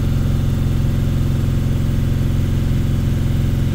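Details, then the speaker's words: T1N Sprinter diesel after repairing a severe injector "black death" carbon leak, run 5 minutes at operating temperature. Low, steady, even diesel idle with no knocks or misses: healthy warm idle; it barely idles when the idle drops. "all right 5 minutes of running at operating temperature I'm going to shut her down"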